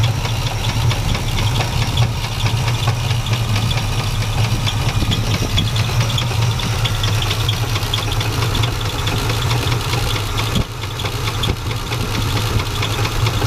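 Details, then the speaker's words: Classic Chevy C10 with 350 Chevrolet V8, sat about five years, previous owner quit over knocking; restart shows deep loud V8 idle with an uneven low knock about twice a second in the bottom end: rod knock. "350 Chevrolet boys even with a rod knocking these things are better than most engines"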